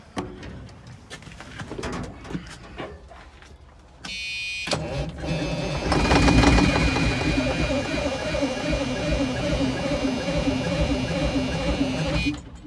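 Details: 1978 Chevy Bruin truck with 8V71 Detroit diesel, long unused, starting fluid used: starter grinds, engine catches and runs raggedly for seconds then dies; fires but won't keep running, owner suspects starter and batteries need attention.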